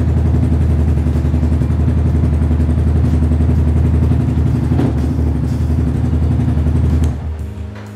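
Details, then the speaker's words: Yamaha Xabre 150 in its sixth year, after a battery replacement; it previously would not electric-start: the single cylinder settles into a steady, even idle with a regular pulse before shutoff; runs fine. "Nyala ya, berhasil. Kita coba starter karena sebelumnya nggak bisa di starter ya."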